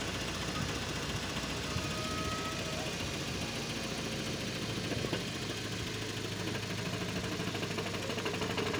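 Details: 2010 Nissan Sentra manual, B16: steady idle with a constant metallic rattle and chatter from a damaged dual-mass flywheel.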